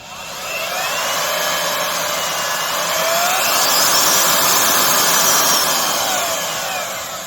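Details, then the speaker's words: Craftsman (Skil-built) 12 A router, 1440 W, variable speed, after a motor bearing pretension fix: high steady motor whine easing slightly as handled, no rumbling; normal running. "No funky rumbling sound."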